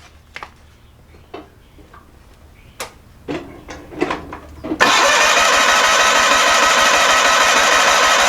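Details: Onan P218G engine in a John Deere 318 garden tractor, quiet fiddling then steady fast cranking at about three beats a second that never catches; spark and battery good, fuel flowing to carburetor, no start; stuck carburetor needle valve suspected.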